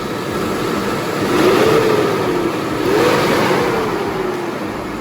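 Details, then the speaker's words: 2003 Lincoln Aviator with the InTech 32-valve V8, after replacing the spark plugs and coil packs for a two-cylinder misfire: smooth, even note swelling through two steady revs and settling back, no stumble or skip; engine running healthy. "So for the most part, we are good to go. Now let's go see how she sounds. Sounds better, a lot better."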